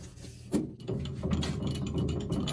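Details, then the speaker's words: Accu-Turn 8944 brake lathe resurfacing a brake rotor, second more aggressive pass: even motor hum with a steady cutting tone and light clicks, no howl or chatter; clean finishing pass, rotor thickness still above minimum. "looks like we got a nice clean pass on that one"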